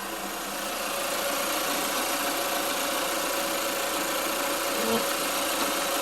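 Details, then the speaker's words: 2020 Chevrolet Equinox during an R1234yf AC recharge, engine idling with AC on. The compressor clutch kicks on, giving a constant mid-pitch hum over the idle and a brief soft clunk. Compressor running normally. "all right guys get the car running the HC compressor the clutch is kicking on"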